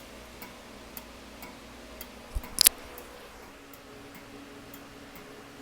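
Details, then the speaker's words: Porsche 911 under restoration, electrical system check with ignition on and right turn signal active: light, even clicks about twice a second from the turn signal relay cycling normally. "Let's go ahead and do a right turn signal. You can hear it clicking. Here's our turn signal relay."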